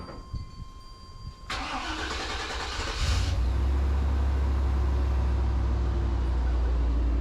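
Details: 1994 Chevrolet K1500 Suburban just after a fuel pump replacement done without dropping the tank. It cranks briefly, catches quickly and settles into a smooth, steady low idle with no misses or knocks: normal start and idle.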